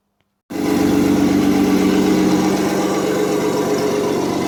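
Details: Audi S4 2.7 bi-turbo forged engine in a Porsche Boxster, after replacing a bad lifter; a cold-start rattle, possibly piston slap, fades after about a minute into a steady, even, healthy idle with no lifter tick.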